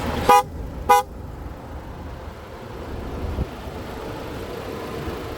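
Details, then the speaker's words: 2023 BMW X1, 2.0-liter four-cylinder; two short sharp horn toots about half a second apart, warning key not detected though it was in owner's pocket. "Boy, she is really, the key is in my pocket. She is really asking for that key."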